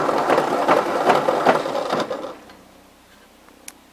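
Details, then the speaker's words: 1953 Ford Jubilee tractor after reinstalling the starter, spark plugs not tight: slow cranking about two seconds, roughly two and a half compression pulses a second with a slight rough catch; owner suspects starter or its teeth. "definitely a spot to that uh starter or the teeth aren't quite as happy"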